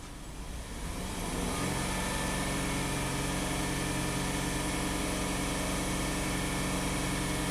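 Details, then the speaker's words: Hyundai about 3,000 miles after camshaft phaser repair, blue smoke and low power, code cylinder 5 misfire: uneven idle, about four stumbles a second; stuck or broken cylinder 5 injector suspected; cylinder misfire at idle. "so we're suspecting a stuck injector on cylinder number five how do we prove that hmm let's think about that"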